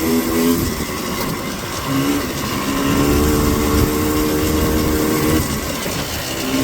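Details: Four-wheeler under full throttle while riding, no choke: flat, strained note that never climbs cleanly, bogging but still pulling, slower than down in the valley; cause suspected, not confirmed.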